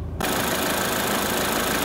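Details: Crashed Corsa after front-end refit, first start before coolant bleeding: steady, even idle with no knocks, misses or hunting, smooth constant hum; engine runs sweetly, normal idle.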